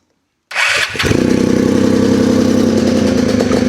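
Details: Polaris RZR 170 that sat about 5 years, bought non-running, restarting after it stalled on its own, smoky. It cranks and catches into a loud, rattly idle with steady tapping about four per second. Owner thinks it's the exhaust but says it sounds knockish; cause unconfirmed.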